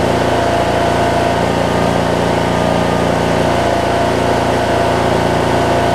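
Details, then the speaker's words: 2007 Craftsman LT2000 riding mower with Briggs and Stratton engine, sat a while and backfired when starting, now running; even, steady idle with a constant low drone, no misses, surging or popping; normal idle. "Sounds pretty darn good, don't it?"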